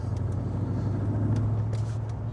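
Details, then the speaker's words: VE Commodore with LS3 and M6 manual, Chopper Reid camshaft and CNC heads, on road in fourth gear, coasting back to 1,000 rpm then floored: deep steady V8 drone builds smoothly from low revs with no bucking or misfire, a clean healthy full-throttle pull. "So we're just coasting. It comes back to 1,000 RPM. We're in fourth gear. And even if we floor it,"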